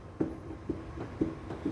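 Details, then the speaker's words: Tao Leo / Emmo Zone e-bike with gooseneck loosened: dull hollow clunk each time the front end is rocked, from play in loose steering head bearings causing front suspension knocking; fix is tightening the compression nut. "okay, that's the play inside here."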